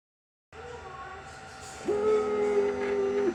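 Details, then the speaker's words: AOSEED X-Maker Joy printer, new out of a damaged box with cracked parts, on power-up: steady mid-pitched droning vibration from the back for about 1.5 s, ending with a squeak; abnormal mechanical noise, cause unknown. "When I turn it on, it's going to make a sound. It does not sound normal. The vibration right there."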